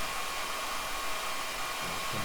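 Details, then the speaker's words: Frequency inverter's cooling fan, heard while the drive parameters are being set; a steady, even airy hiss with no rattle or pulsing. Normal fan running. "Esse barulho, pessoal, é do ventilador aqui."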